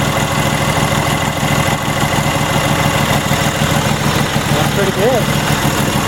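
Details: Troy-Bilt GTX2654 mower with 26 hp Briggs & Stratton engine, hydrostatic, 542 hours, bought as no-start; blown fuse found, Marvel Mystery Oil added; steady even thump at idle, no misses or knocks.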